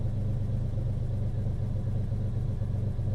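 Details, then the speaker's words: Ferrari 330 GT 2+2 Series II warming up, with oil temp just starting to rise. A deep, even rumble drifts lazily down from about 1,000 to 950 rpm: a slow return to idle. A warped carburetor base plate sucking in extra air is suspected. "that carburetor or whatever warped base plate or something is just sucking in more air and you can hear it just lazily coming down and now it's like at 1 000 and dropping 9.50 it's just lazy"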